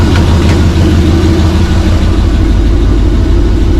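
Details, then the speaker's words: First fire-up of freshly rebuilt 6.0 LS LQ4 V8 with Summit stage 1 truck cam in a 1986 Suburban C20, cold: deep steady idle rumble with loud, blatty exhaust note from an exhaust leak and poor muffler. "Got an exhaust leak, so that's good. Piece of crap muffler, you know."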